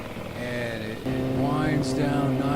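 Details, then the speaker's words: 1976 Johnson 15 hp two-stroke outboard, rebuilt carb, new fuel pump, fuel lines and points, compression 130/127, throttled down on the lake: note slides smoothly from high revs into a slow, throaty idle, firing evenly throughout. Normal throttle-down to idle. "nice and slow and gets a little throaty at the end there. I really just love that sound."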